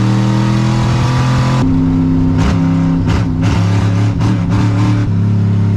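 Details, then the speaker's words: 1963 Chevy Impala wagon V8 after fuel filter moved to pump's pushing side, warming up: strong, even rumble with no misfire; all eight cylinders running normally. "That's all 8 cylinders for sure there."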